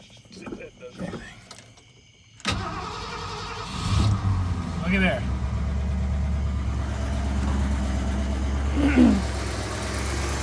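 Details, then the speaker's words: 1979 Ford F-100 302 V8 after fixing a backwards-installed fuel filter (previously cranked without running): engine cranks briefly, catches at once and settles into a steady, even low idle; starting and fuel delivery fine. "fuel filter fired right up all right i'll tell you what i'm glad that thing fired up because i was beginning to doubt how much i had"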